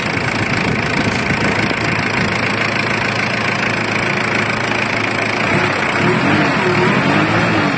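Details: Ford Everest diesel with a no-start glow plug problem, engine replaced: busy idle with a fairly regular clattering knock over the running engine. The cause isn't clear from the sound alone.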